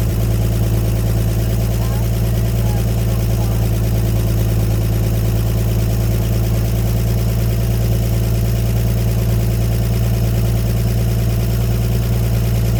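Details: 1954 Chevrolet 150 old six-cylinder, just revived after sitting, coil jumped and temporary jumper-cable battery leads: steady, even low rumble with no misses, knocks or stumbles over thirteen seconds; normal smooth idle on its own fuel before running out of gas.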